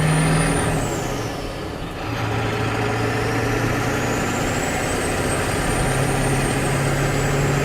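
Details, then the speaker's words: 1972 Mitchell motorhome with 7.3 Powerstroke diesel and 4WD conversion, first drive on pavement in strong wind: steady diesel drone with high clear turbo whistle dipping and climbing with throttle; turbo healthy, running well. "This thing's running pretty good. I like how you can hear the turbo. It might get annoying on a real long trip"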